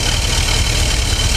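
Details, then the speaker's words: Ford 460 V8 (70s/80s) with 750 carb in a pre-runner, smelling very rich: loud, deep, lumpy idle with steady low rumble; running rich, being tuned at the carburetor. "Well, we're gonna tune it because it runs like poo-poo."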